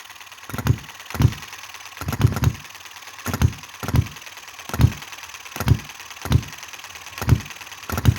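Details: Chinese model hit-and-miss engine: sharp low pops roughly every half second, sometimes two close together, with quiet coasting between; healthy engine governing evenly.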